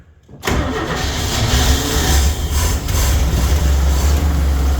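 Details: 1979 delivery vehicle, knocking noted earlier: the engine catches and settles into a rough, uneven low rumble with a raspy edge, consistent with an exhaust leak.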